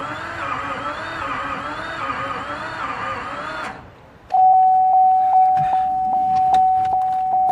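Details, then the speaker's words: 2004 Chevrolet Silverado, Duramax LLY diesel, no start with only a glow plug module code and cam/crank signals present: about four seconds of fast, even starter whir with no labouring beats, as if no cylinder has compression. A sheared cam gear or broken camshaft is to be checked next. "sound like there's any compression in any cylinder right now so we're gonna do a few more checks"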